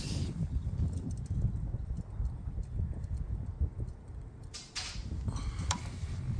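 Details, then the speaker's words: 1968 Triumph T100 Daytona twin (1968 frame and engine, non-matching numbers), still a bit cold: low, loping thump at idle, slightly ragged but even, with no knocks or rattles; normal cold idle. "that sa me turning it off it's obviously still a bit cold um so I want warming up I will fire it up again so you can see it ID"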